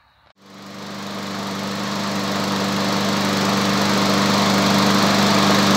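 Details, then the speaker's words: Walk-behind lawn mower engine started and run for five minutes to warm the oil before an oil change: starts at once and settles into a smooth, even drone that firms up as it warms, with no knocks or misfires. "Teraz si motor naštartujeme, necháme ho bežať 5 minút, aby sa olej zahrial."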